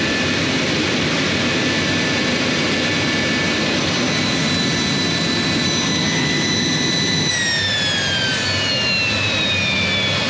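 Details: J79 jet engines on a successful ground run after refuelling and fixing leaks, to verify the leak repairs; loud, steady turbine roar with a high whine winding down smoothly near the end. Normal, healthy idle.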